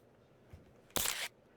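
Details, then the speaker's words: A single sharp camera-shutter click in a quiet room while a laptop plays a game; the laptop seems to be taking screenshots on its own. "I don't know if you can hear the clicking and noise, but it's I think it's taking screenshots without my approval."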